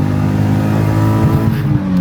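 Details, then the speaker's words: Track car after swapping in a replacement engine for the blown one: second gear quick rip, pitch climbing steadily with no grinding or stumbling; strong, healthy acceleration, engine runs happy. "Just Just before you guys go, let me let me just do a second gear quick rip. Oh, this thing is happy."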